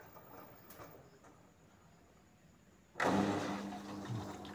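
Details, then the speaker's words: LG inverter Direct Drive front-loader after module repair for DE1 error (door lock already replaced), spin/dry mode test: near silence, then the drain pump kicks in with a steady hum and gushing water. Pump drains, drum turns; working normally. "Drain pumpnya nyala, kerja, air terkuras. Oke, berarti sudah normal, bisa ngisi dan buang air, drumnya juga berputar."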